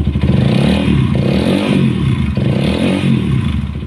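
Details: Honda CBR150/CB150R after replacing worn clutch rubbers that caused a rough engine-area noise: engine blips up and settles back repeatedly, revs rising cleanly with no rattle from the clutch side, smooth and healthy.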